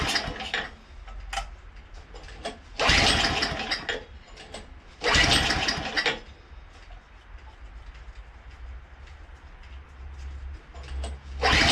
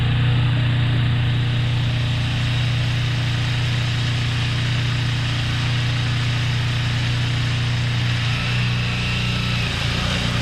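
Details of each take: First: Craftsman two-stage snowblower, unstarted for 2 years with fuel in it, catches in ragged bursts on choke, sputters and stalls; it fired right up once gas was added, so the stalling came from low fuel. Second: Craftsman two-stage snowblower engine, freshly refueled after two years unstarted: strong, even low drone with a steady beat, no surging or hesitation while blowing; runs great.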